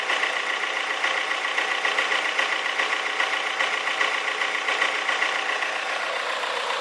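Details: Toyota Corolla AE94 converted to a 4AGE 20V Silvertop, after idle issue fixed, steady idle with light even clicking a bit over once a second; source unknown, doesn't seem to affect driving.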